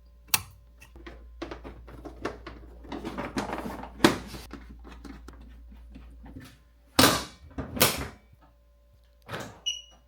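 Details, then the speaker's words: Alarm beeper replaced with new unit on factory plug: after shuffling and clunks, one short clean high beep on locking; normal lock beep. "Oh, that's so much better. Just a nice little beep. Awesome little touch."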